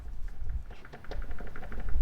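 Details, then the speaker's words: Peugeot 206 HDi with a new Helix organic clutch (about 50 miles), plate held on gearbox-side splines: quick light metallic clicking rattle from excessive spline play, the centre hub over-machined; a rattle and bite-at-floor complaint. "But that is the rattle you can hear. So there's a lot of play. It's just machined too much effectively, so there's just too much material taken off this centerpiece here."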